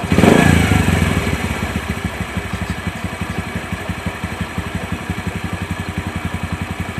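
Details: Bajaj CT 100 making a scraping noise when running, heard idling before teardown: a steady single-cylinder idle at about four beats a second with a dry scraping clatter underneath. Mechanic suspects the 6003 stator bearing; the alternative is the bearing behind the clutch housing.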